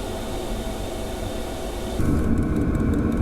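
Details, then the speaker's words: Webasto diesel heater in a camper, set to maximum power on a battery supply of about 12.2 V. A steady combustion roar that is unusually loud and grows fuller, with a faint fast pump tick underneath. The heater is running normally at full output. "somehow it's really, really, really loud, it's never fired up like that before, maybe it's because of the lack of power that it was making such a humming noise."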